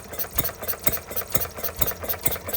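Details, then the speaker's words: Stirling Kits Retrol G16 model stationary gas engine on first start after flooding, revs being adjusted: crisp, even chuffing beats about four per second with light clatter; running steadily and well. "How about that? Going lovely now."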